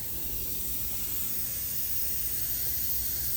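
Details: Semi-truck tractor started after sitting over a year, air tanks filled: loud steady hiss of escaping air over low engine rumble, seemingly from up under one side; air leak, exact source suspected, not confirmed.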